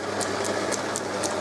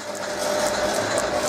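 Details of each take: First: Holbrook B9 drive motor after reversing, servicing, reaming and fitting the pin to remove play and tensioning the frame: low, smooth hum with only a faint light tick about four times a second; running quietly and evenly, no rattle. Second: Holbrook B9 lathe with the newly mounted motor running: a steady hum with a light ratcheting tick about three times a second; some unidentified part in the drive is catching, cause not yet known.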